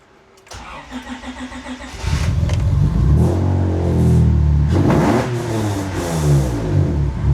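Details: J-swapped Acura TSX Type S (CL9) started: starter whirs briefly, engine catches and settles into a strong, even idle with blips; runs clean, no codes besides O2; normal start.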